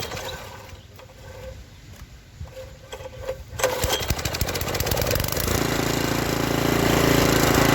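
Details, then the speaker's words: Revived junkyard Briggs & Stratton tiller engine (owner thinks 5 hp), once flooded and seized, after a stuck valve was freed without a valve adjustment. It fires up and settles into an even, steady putter, sounding better. Owner may still adjust the governor. "Sounds better too. So that will do it for the Briggs and Stratton tiller."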